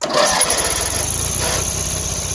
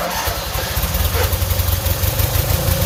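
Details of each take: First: Yardman 13785L riding mower, air filter corroded, given a squirt of starting fluid with choke pulled; brief cranking catches and the small engine fires into a quick, steady popping run on the starting fluid. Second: Yardman 13785L tractor, after refuelling (earlier died on choke, suspected out of gas or bad gas): catches and settles into a steady, even low thump at idle; normal running.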